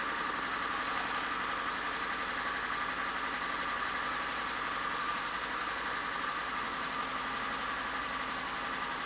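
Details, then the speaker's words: VAZ 2110/2112/Priora 124 16-valve engine, rebuilt head: after replacing the ignition coil the engine still misfires at idle with uneven stumbling chatter; owner suspects a bad spark plug, knock also present when warming to 90°C. "Ну, в общем, катушку заменила, все равно троит. Я не пойму, что делаю."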